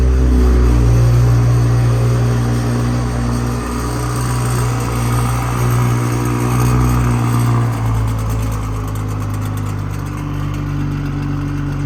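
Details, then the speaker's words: 2020 Toyota GR Supra 3.0, factory catback exhaust with the valve actuator not fitted, cold start: loud idle with a light metallic buzz on the engine pulses from the loose exhaust flap; rattle fades once warmed up. "remember you're going to hear the rattle from that little valve it will go away once it's you know warmed up you won't hear it really at all once it warms up"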